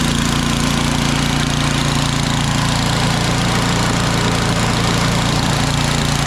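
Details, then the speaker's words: Ariens snowblower after a carb clean, idling: steady, even single-cylinder putter with no misses or knocks. Runs perfectly and the drive and auger work smoothly. "yeah I did a carb clean on that this thing runs perfectly and all all the drives work nice and smooth here very smooth"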